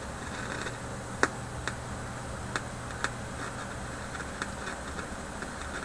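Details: Philips 922 vacuum tube radio run from cold on a current-limited supply at about 115–120 V: scattered sharp pops and crackles over a steady low hum; owner suspects IF capacitors, not confirmed.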